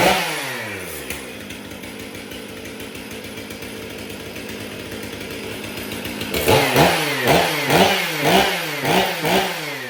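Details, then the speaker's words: Stihl MS 500i chainsaw after replacing a worn sprocket and clutch (original complaint: noise while starting, not running), started up: crisp steady idle revving up and down cleanly about twice a second, sharp throttle response; healthy running saw. "Well, there we go. Was not here for a running issue, just a noise while trying to start it. Which would have been that worn sprocket, clutch, etc."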